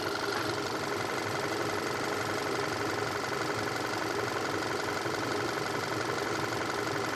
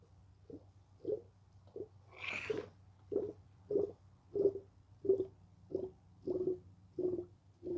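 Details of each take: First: 2014 Volkswagen Tiguan 2.0 TSI idling during a coolant drain, fill and bleed. It holds an even petrol idle with a light, steady tick and no misses; the cooling fans come on and coolant flows steadily. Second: 2014 Volkswagen Tiguan 2.0 TSI cooling system drain, fill and bleed: irregular wet gurgles and burps over a low steady hum as the radiator hose is squeezed; trapped air bubbling through the coolant.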